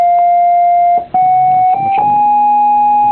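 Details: Vox Super (dual) Continental organ: a held note picks up an unwanted extra pitch partway through, traced to dirty ground bus connections where that footage bleeds in.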